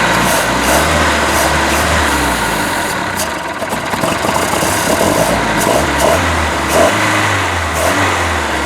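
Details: Boat motor after manifold install, water flushed through ear muffs: idle hunts and stumbles, the low beat rising and sagging unevenly; rough idle as timing is off and carburetor needs rebuilding, oil still free of water.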